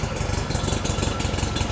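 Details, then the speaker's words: VW-based Porsche 356 Speedster kit car after a ball joint drop spindle install, idling soon after a cold start at 37° outside, not yet warm, 40 PSI oil pressure on the dash: quick, even chuffing with no misses or surges. Idles nicely; normal. "but yeah idling nicely 40 PSI on the dash"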